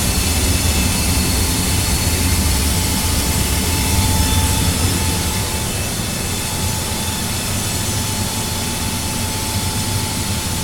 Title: Annoying furnace noise